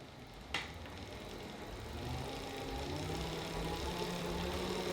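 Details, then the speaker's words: Elite Drivo II smart bike trainer noise test at 20 mph, typical erg/sim mode speed: steady low whir with faint rising tone as it settles, no knocks or grinding; normal running noise. "I'm gonna put it at 20 miles per hour. That is the speed that you're probably gonna be at most of the time when you're in erg mode or in sim mode."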